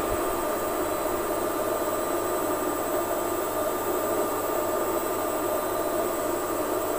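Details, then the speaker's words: Lux Royal WH1093i washing machine after replacing inner drum and cracked spider: steady, even whirring spin with no door gasket rubbing; drum turns freely, normal spin. "hasil dari pengujian kami menunjukkan bahwa kondisi mesin suaranya sudah normal gesekan-gesekan pada basket sudah tidak ada kondisi mesin sudah normal kembali"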